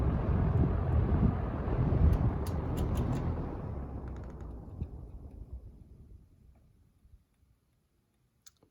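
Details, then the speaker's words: Model 77 and Wells Royal S-122 fans compared on low, both run overnight: soft, even motor rumble with no buzz or rattle, then a smooth coast-down to silence in about seven seconds. Runs normally. "so now we're gonna run on low no buzzing as you can hear i ran this one overnight and that one overnight the other night too so these fans both run very well overnight very quiet fan very nice sounding too"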